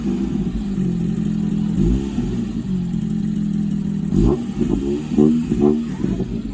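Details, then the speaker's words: Car after the weird-sound fix (the exhaust touching was suspected, but nothing was found): a start, then a steady low engine note with quick throttle blips rising and falling cleanly, now clean and crisp with no rattles or misses; normal start and rev. "ಇವಾಗ full clean and crispy ಇದೆ sound ಈಗ ಕೇಳಿಸಕೊಳ್ಳಿ."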